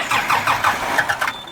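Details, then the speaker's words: Kubota M120 tractor diesel, sat four or five years after a fire, PTO switch just fixed: starter chuffs steadily about five beats a second, never catches; cranks but won't start, owner suspects lift pump or air in fuel, no fuel at filter line. "won't start i think my lift pump out well i don't know if it's lift pump or just got air in it it's been sitting for four or five years"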